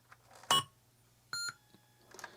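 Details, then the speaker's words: TI-99/4A computer motherboard after repair, power-on: sound chip's initial tone, silence as the CPU initializes and mutes it, then the system beep; a normal startup sequence exactly as the technical manual describes. "heard that first initial beep then there were silence and then there was a system beep so that's working exactly as described by the technical manual"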